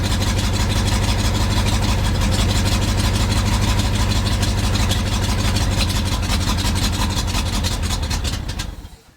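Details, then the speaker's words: 1971 International 1890 plow truck with 210,000 miles, abandoned since 2001, carb rebuilt. Steady cranking about three turns a second never catches; it isn't pulling fuel yet and may be flooded. Cranks but won't start. "hasn't started pulling fuel yet though I was hoping it would by now it'll tell right at that filter if it's pulling fuel"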